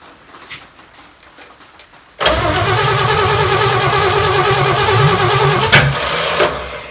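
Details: Chevy 283 V8, sat for a while, started on the shop floor after ignition timing advanced a bit: catches at once and settles into a steady, lumpy idle with no misses; healthy normal start and idle.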